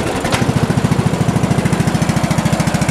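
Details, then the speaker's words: Lawn tractor cold start on full choke after storage, fresh fuel: fires quickly and settles into steady thumping idle of about ten even beats a second; healthy start. "drain it out you see how easy that that was started right up"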